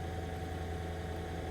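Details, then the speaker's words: 2003 Mercedes SL500 at an IAA auction, 45,969 miles: smooth, steady low rumble at idle with an even beat, no ticks, knocks or misses; sounds perfect, healthy idle. "alright anyway we do have power 45 969 miles on here and let's just see what she sounds like she sounds perfect perfect why are you here"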